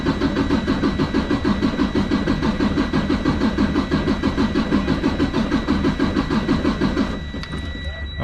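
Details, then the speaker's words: Freightliner Cascadia DD15 with a crankcase breather fault code, cranking during a software relative compression test; uneven diesel cranking beat; cylinder 1 read 68 and dropped on retest, low compression needing head removal to check. "68 actually went down so definitely something to be concerned about um on the number one"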